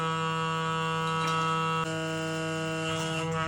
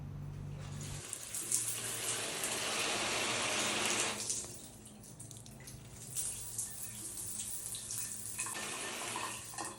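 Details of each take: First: Worn shower stop valve in a bathroom gives a steady, low, hollow droning howl when turned nearly shut; stops when opened fully, thumb pressure doesn't help; seals likely worn, valve replaced. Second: Shower valve after replacing the worn, howling on/off valve (old seals suspected) with a new one, thread sealant and O-ring: water runs with a plain, even hiss, no howl or whistle, normal quiet flow.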